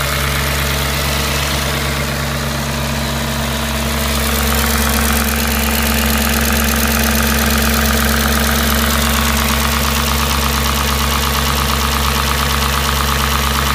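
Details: Audi S4 B6 engine at idle: steady idle with fairly regular tapping, about three per second, over the hum; abnormal engine noise, cause unclear.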